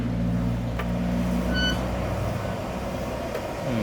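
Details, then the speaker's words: Electric motorcycle (dECO SUSU) front wheel spun by hand, brake side: steady rubbing whir as the caliper piston fails to retract fully and the pad keeps dragging on the disc; brake drag from sticking caliper piston. "ใช่ครับไม่ปอือยังดังอยู่นะไอ้กระบอกสุบมันไม่มันไม่ค่อยคายออืใช่เหมือนกระดดบอกสูบไม่ยอมไม่ยอมดันออก"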